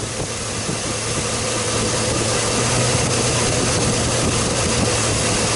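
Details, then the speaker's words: Chevrolet Silverado V8 with an idle misfire that fades above 600 rpm, during a cylinder drop test with one coil unplugged at a time. Idle lope and rpm shift as each cylinder is cut. "all right let me do a cylinder drop test I'm going to unplug each coil and see if if it's contributing oh yeah definitely feel it right away"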